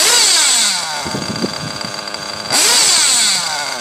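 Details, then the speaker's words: Tekno nitro buggy with a modded RB engine, box-tuned, at full throttle: a high, screaming note pulls up hard, eases off, then screams again cleanly, sounding properly tuned at wide open. "you know where your shit's supposed to sound like you know what it sounds like when you pin the thrall when you give it some full throttle"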